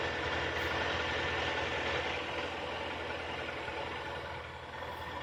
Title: Стук двигателя KIA Sportage 3